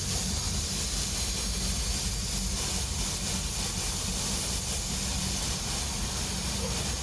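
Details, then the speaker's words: Motorcycle tyre after a puncture, plugged with the tyre deflated, reinflated at a garage airline. Constant sharp hiss of escaping air; the plug has failed and the tyre leaks, though airline hiss may be mixed in. A new tyre is needed. "so this plug hasn't worked you can hear the uh you can hear the air leaking out from there"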